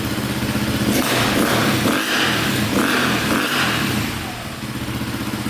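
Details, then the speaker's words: 2002 KTM 400 EXC (sold as 450) revved hard in neutral: stutters and breaks up near the top as if hitting the rev limiter early, lacking power; black plug shows rich running, carburettor fuelling suspected over CDI or stator. "can hear it kind of break up there but uh we'll go test drive it and see what it sounds like see how it like kind of hits hits the Rev lemoner there should have a lot more power than that"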